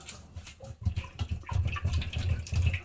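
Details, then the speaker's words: Waterlogged pressure tank that was short cycling the pump on and off, with air pressure reading 10 psi instead of 48; heavy, dull water-filled thuds with no hollow air ring, as the tank is full of water to the top. "It sounds like the water is all the way up to the top. It was short cycling, clicking on, clicking off."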